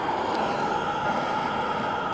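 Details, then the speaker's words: Barto natural gas compressor station, recorded near the facility (about two years old, second building added), closer position makes it louder: steady unbroken mid-pitched drone with no knocks or surges; running normally. "we're a little closer to it closer you get the louder it"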